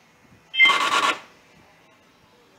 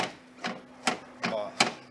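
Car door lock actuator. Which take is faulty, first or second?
first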